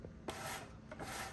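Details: Midea U-shaped window air conditioner blower: dry sandpaper-like scraping in rough bursts as the fan turns, fan wheel rubbing its housing because it is mounted off its ring position.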